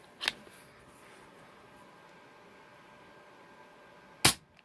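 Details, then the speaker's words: Benjamin Fortitude PCP air rifle after an o-ring hammer spring "depinger" mod that acts as a shock absorber. Two crisp, dry shots with no spring ring or resonance afterward, now sounding like a tuned PCP. "by after this modification it'll sound like this just like II tuned to PCP sounds great absolutely no ring whatsoever can't beat it in my opinion"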